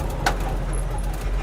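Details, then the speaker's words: 1969 Ford highboy ranch truck, test drive after repairing noisy front right drum brake: steady low road rumble with no scraping, grinding or rattling from the wheels; normal brake operation. "I think we got it fixed it's not making any noise the brakes are"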